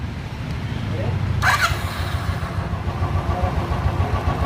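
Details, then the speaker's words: Royal Enfield Classic 350 after repair of a top-end tik-tik noise, fixed by repairing the hydraulic rather than replacing it. Started just after reassembly: a short start-up, then a low, soft thumping idle with no ticking. The engine is now silent. "तो देखा अपने गाड़ी एकदम silent हो चुकी है और अगर इसमें आपको कोई कमी लगती है तो कमेंट करके जरूर बताना और बताना मुझे कि इसमें आवाज है या नहीं है"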